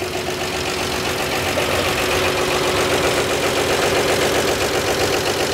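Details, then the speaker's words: 1948 Chevy put together for the first time in 58 years, oil filter canister blocked off after a leaking top gasket: good oil pressure and no fan contact. Even, smooth idle with a faint light clatter from the top end; normal idle. "I don't hear the fan hitting anything that's good running smooth and sweet hair bit of clatter up here"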